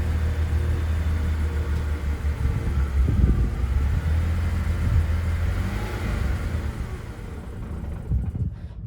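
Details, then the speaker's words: 2006 BMW 325i, before plug change: lumpy, uneven idle with irregular low thumps, not running on all cylinders, then dies; owner suspects bad gas, spark plugs and valve cover gaskets next; rough idle. "so if you listen carefully you can tell it's not running on all cylinders"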